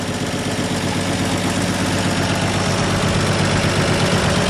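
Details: 1958 Chevy Apache with a replacement used engine, first start on gas poured in to get it pulling fuel: low, lumpy idle, about 160 beats a minute, wavering and unsteady. Owner thinks too much fuel was added.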